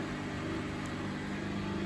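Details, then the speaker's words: Bosch WFF1800 washing machine, about 9 years in service, running empty on a 90 cotton cycle: steady pump hum with a faint uneven rattle alongside the drum motor while draining; drain pump rattle. "You can hear the pump rattling along with the motor there."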